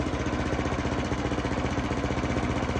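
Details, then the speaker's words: Hayter lawn mower that had been surging, after the carburettor float bowl was serviced: an even, rapid single-cylinder beat holding steady speed with no hunting. It now runs smoothly. "but I feel quite confident that's running there if you look at that now"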